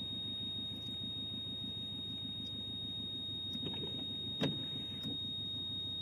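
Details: Subaru Legacy: thin, high-pitched continuous warning beep holds steady over a quiet idling car with a few faint chirps, cause unknown.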